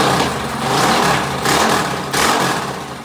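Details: Predator 212 single-cylinder engine just rebuilt with valves set and a Mikuni carburetor fitted, restarted after the front end was secured: idles evenly and revs up cleanly in smooth pulls. Earlier smoke was only assembly oil burning off; it runs good.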